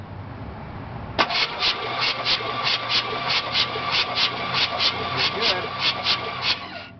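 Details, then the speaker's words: Worn-out 305 truck that won't start, spark plugs removed (some fuel-soaked): cranking compression test reads about 160 psi, starter spins freely with even puffing hiss about every 0.6 s; normal healthy compression. "160 pounds can't complain about that for a worn-out 305"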